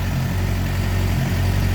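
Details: 2007 Suzuki GSX-R 600 after electrical repairs, coolant-in-oil, water pump seal and freeze plug work, weak battery: smooth, even low idle with steady beat, no knocks, ticks or misses; running properly.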